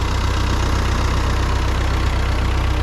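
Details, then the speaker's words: 1939 Ford 9N four-cylinder tractor, converted from 6 V to 12 V, just started and still cold, throttle slightly above idle. Steady even low thump, no knocks or misses. Normal idle. "Here we go. Nice, starts right up. What's nice about these tractors is you can still get parts for them. Still cold yet."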